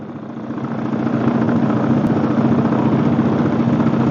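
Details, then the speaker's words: Chinese Suzuki King Quad clone ATV after starter clutch replacement: starts and idles steadily with a low, firm even pulse, no knocks or rattles; running normally. "okay folks looks like that one's a win so she starts she runs sounds good"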